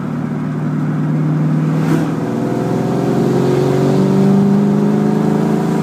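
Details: 2001 Mustang GT under load: pulls steadily, then turns choppy and uneven as it climbs, breaking up around 4000 rpm; misfire and hesitation occur only with under half a tank of fuel.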